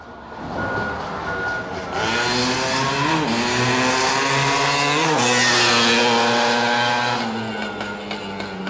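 A loud, crisp two-stroke rasp climbs and falls cleanly through several blips, pulling freely with no misfire or knock; the engine sounds healthy.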